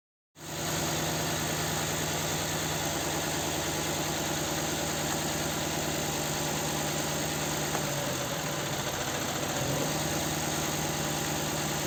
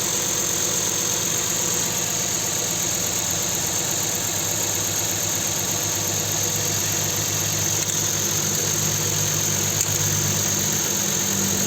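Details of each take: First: Nissan Sentra 1.8 idle with cylinder 2 dead: steady lumpy beat with regular stumble, engine shaking and down on power; coils and plugs swapped ruled out, injector getting no injection pulses from the engine computer. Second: Nissan Sentra 1.8 engine after fixing a dead cylinder caused by an injector getting no injection pulses, traced to the engine computer: steady, even idle with no stumble; that cylinder now firing, normal idle.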